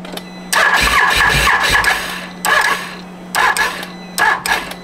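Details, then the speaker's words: Used Can-Am Renegade with a laundry list of issues, air filter just installed: several short strained cranking bursts that never catch; owner suspects possible hydrolock or a bad starter, to be checked by pulling the plug, cause unknown. "Make sure it's not hydro locking because that's almost what it sounds like when you hit the button. It's like, it's struggling."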